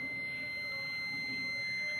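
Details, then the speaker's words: Multimeter on continuity, probes across an 8-pin star-delta timer relay's terminal 4 and another point: unbroken high-pitched beep held throughout; contact closed, unlike terminal 3 which stays silent. "ये देखें ये buzzer बज रही है, जबकि 3 number पे buzzer की आवाज़ नहीं आ रही, बीप की आवाज़ नहीं आ रही।"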